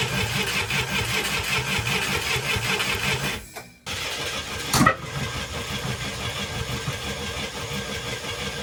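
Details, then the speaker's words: International Scout 800A started after years parked in a barn, new coil fitted after a no-spark problem; engine sputters and struggles to catch, with a sharp pop as it backfires hard out of the carb; owner suspects the carb needs a rebuild; plug found carboned up. "sounds hopeful it's backfiring out of the carb hard I wouldn't be surprised if the carb needs a rebuild"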